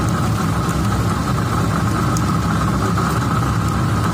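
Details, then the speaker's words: 2015 Cadillac ATS 2.5 in drive at idle: constant heavy droning roar with a steady hum under the drivetrain from a badly worn rear differential, not a wheel bearing as it sounds when driving; differential being replaced. "and you can hear when driving but it does sound like a regular wheel bearing but it's not i'm gonna start it up put it in drive and let you hear but it's it's roaring it's worn pretty bad"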